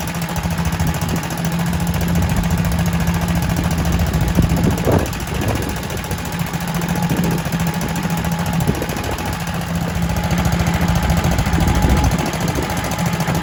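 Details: Kohler K91 single-cylinder engine, first start in six years after freeing a stuck float and rigging an exhaust to replace the rotten one. Steady, even low thumping at constant speed with no misses, knocks or hunting; runs lovely.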